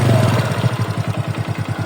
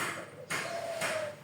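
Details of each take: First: Yamaha Mio reassembled after connecting rod damage repair: quick, even idle putter with no knock underneath; runs smooth with no problems after repair. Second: Yamaha Mio engine removed: three sharp metallic ticks as the connecting rod is rocked in and out by hand; worn big-end bearing with excess play beyond normal clearance.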